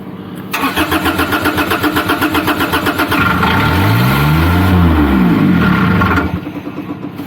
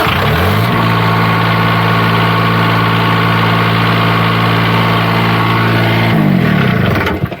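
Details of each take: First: Niftylift HR17 SP50 Kubota diesel with throttle solenoid disconnected: cranks briefly, catches and runs unevenly about five seconds, then dies; starts but won't keep running, faulty diesel control board suspected. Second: Niftylift HR17 SP50 Kubota diesel with a no-crank/no-start fault, run with the solenoid disconnected: starts and settles into a steady, even idle, no knocks or misses. Engine healthy; fault lies in the controls, suspected board.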